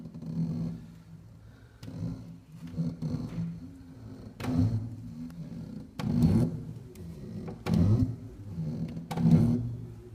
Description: IPS 121 makes grinding noises and a loud clank when reversing directions.